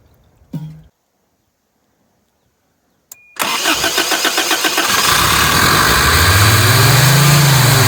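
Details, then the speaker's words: 1983 Toyota 22R engine in a Keystone micro mini motorhome, sitting over 20 years: cranks briefly, catches and climbs unevenly into a fast rough idle before settling; the carburetor choke had been stuck open. "that sounds like the problem was stuck open maybe I got a little too overzealous there we go"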